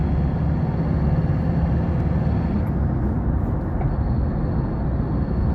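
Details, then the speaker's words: Ford 2.2 diesel on a road test after injector repair: steady drone under light acceleration over road noise, no flutter, rattle or knock, pulling smoothly. Normal acceleration. "อัตรากันเร่งสมบูรณ์นะครับไม่มีกะพือนะครับไม่ไม่มีดังคะแคกๆๆนะครับไม่มีเขกนะครับ"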